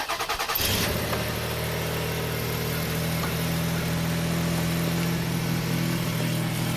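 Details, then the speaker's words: 2000 Toyota Sienna, 1MZ V6, 540,446 original-drivetrain miles, P0305, blinking check-engine light: cranks, catches and idles with an uneven, occasionally stumbling beat; intermittent misfire, injector 5 under scope test. "it's definitely misfiring intermittently and we'll shut her down"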